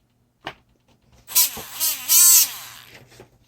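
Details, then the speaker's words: Used Traxxas RC truck brushed motor after rebuilding with new bearing, getting warm: short bursts of high whine rising and falling with throttle, raspy and uneven; motor still not running right, owner considers giving up on it. "Yeah, it doesn't sound right, does it, guys?"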